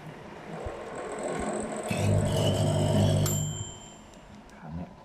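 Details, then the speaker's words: Samsung microwave oven that runs with a loud noise but does not heat; heavy low buzz swells for under two seconds then drops away. On disassembly the magnetron was found burnt through, likely worn out. "น่าจะเป็นตัวไอ้ที่ทำความร้อนเนี่ยนะครับเขาเรียกว่าอะไรสักอย่างแมกนิเหรอเออประมาณนี้ครับ"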